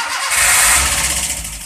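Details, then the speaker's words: Daihatsu Gran Max, check engine light stays on, scanner flags CMP sensor, camshaft said worn: short crank catching into a harsh, hissy, uneven run with no smooth idle; persistent hard starting and rough running, cause unconfirmed. "saya jadi kendalanya mobil ini distater sulit terus"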